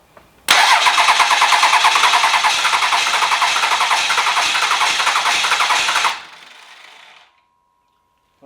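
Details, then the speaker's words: 12v Cummins diesel bench-started for an OBS Ford swap, cranked through a jumper on the starter solenoid: even, rhythmic cranking pulses at about three per second load the starter evenly; it is getting good compression. "that's good news sounds like it's getting compression"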